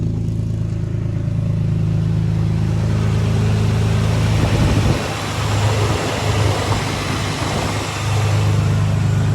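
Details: 2005 Infiniti G35 restarted after tightening the serpentine belts: a steady low, even idle hum with no belt squeal or chirp, and the battery light is gone. Normal healthy idle after the repair.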